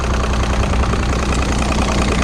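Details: 2006 Evinrude 90 E-TEC Saltwater outboard that started then died, running on the original fuel pump after a faulty aftermarket pump was removed: steady, even two-stroke burble at idle with no misses or stumbles. Fuel pressure may still be low.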